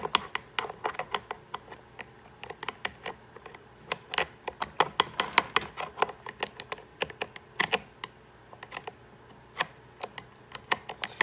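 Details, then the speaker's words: 1995 Sea-Doo GTS that briefly turned over days earlier: rapid, uneven dry clicking bursts with no motor spin when bridged with needle-nose pliers; starter clicks but won't crank, cause unknown. "I'll take the needle nose pliers right here and show you guys no but when I do it this way it clicks this is weird"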